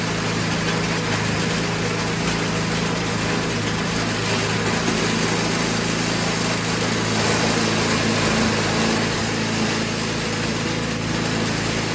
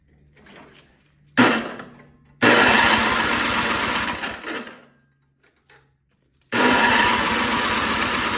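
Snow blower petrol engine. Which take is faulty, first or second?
second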